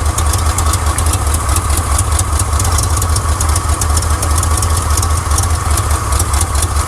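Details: 1979 Chevrolet C10 Custom Deluxe V8 at idle while pulling plug wires one at a time: uneven, loping idle about two and a half beats a second, as if missing on a couple of cylinders. Compression about 90–115; root cause not found.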